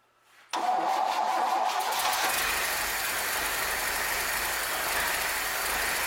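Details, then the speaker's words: 1966 Chevrolet C20, Chevy 292 six, just after first start, still cold: catches and holds a busy, slightly high idle; owner plans to let it warm up and set timing with a timing light. Fast idle. "Man, it's beautiful. It's running a little fast, but we're going to let it warm up, and I'll put a timing light on"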